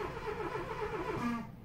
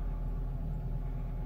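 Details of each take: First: 2002 Renault Clio II crank no-start after a flat battery and recharge. With the red immobilizer light staying on, the starter churns with a rising whirr that dies away without the engine catching. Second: 2002 Renault Clio II that wouldn't start with immobilizer red light after flat battery, restarting, suspected touchy ECU connection: starts and idles with smooth low even rumble, no misses or knocks; normal idle.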